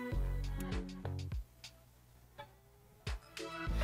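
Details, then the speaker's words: Classic Mac LC 475 startup chime with the external speaker unplugged: a tiny, very quiet chime barely above the room through the internal path, a sign something is wrong; internal sound output weak, cause undetermined. "there's a Teensy tiny little quiet chime and that is the sign that something's not quite right"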